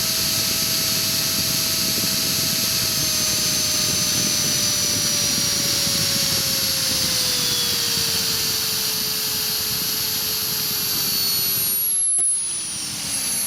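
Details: Align 450M RC helicopter motor after replacing upper and lower main shaft bearings: high electric whine sweeping down as rotor slows, gritty edge underneath; grinding from the motor, owner suspects worn internal bearings.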